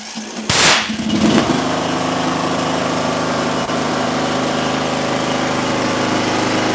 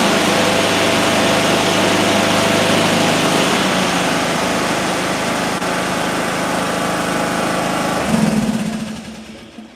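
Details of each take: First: Small mower engine restarted with coil air gap at 0.054 in after flooding from failed starts at 0.055, inline spark tester fitted: one sharp bang as it catches, then steady even idle; backfire from the flooded engine clearing. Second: Small mower engine with ignition coil air gap at 0.030 in, triple the recommended 0.010: steady, even drone with no misses or stumbles until it winds down; normal running.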